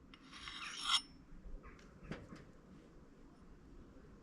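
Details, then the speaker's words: Axe honed on stone, second side: rasping stroke then quieter friction with a changed, finer note, noise reduced but not silent, showing the edge is honed sharp with good bite. "So what I want is to hear that friction noise reduce a little, but I don't want it to stop. I don't want it to completely go away. So at this point now, I'm really hearing that note change."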